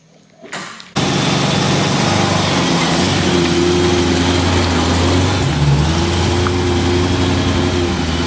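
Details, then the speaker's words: BMW E30 M3 DTM-inspired track car being tested after extensive work, the day before a track day: engine catches after a brief crank and settles into an even, steady drone with a smooth firing beat; sounds fixed and healthy. "that sounds better fixed"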